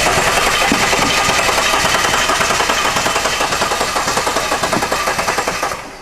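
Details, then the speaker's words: 2009–2010 Jeep Cherokee 3.7 L V6, hard to start or no start and running rough, cranking: steady rhythmic puffing back through the intake and air filter at nearly two per second; suspected leaking intake valve, not yet confirmed. "definitely on the intake i can hear it uh it's puffing as as the engine is cranking so it may possibly have an intake valve uh problem here"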